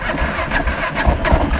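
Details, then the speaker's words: 2001 Kawasaki KLR 650 single with Eagle Mike 685 kit, carb set for original jets, cold after days unused, cranked at full throttle; only a few ragged weak pops, won't run without starter fluid; cause unconfirmed. "let the bottle go and fires just it's just a little bit but if I put starter fluid into the air box of course it starts flying"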